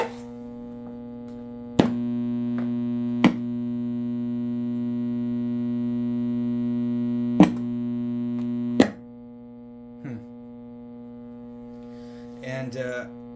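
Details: Dynakit Stereo 70 tube amplifier, long unused, gives a steady low buzz with stacked even overtones and a few sharp clicks; mains hum in one channel, cause not yet found, owner suspects it may need new caps.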